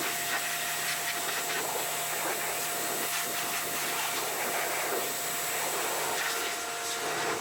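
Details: Toro GTS 140cc mower that would not start after sitting over the winter, now after a carburetor clean-out: it starts and holds a steady, even buzzing run with no stumbles or surging.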